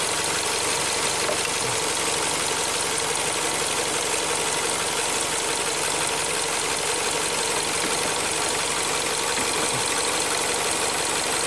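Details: 2017 Ford Transit Connect at idle after a new battery was fitted, with charging at 14.6 volts: steady, even idle with a constant whirr and no knocks, stumbles or speed changes; the engine sounds healthy.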